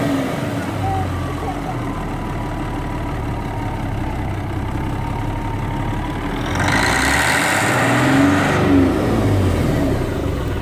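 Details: Freightliner FLD120 heavy diesel, 397k miles, running after sitting about 17 years, possibly on ether: rough uneven idle, then a brief rev and drop back. Running on its own after long storage.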